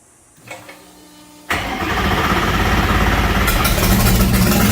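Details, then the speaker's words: Superlite car first started after a new exhaust with an added X-pipe, temporarily with no mufflers, out of gear: a short crank, then a loud, raw, booming idle with sharp exhaust pulses from the unmuffled exhaust. "Kind of curious what it sounds like even with no mufflers."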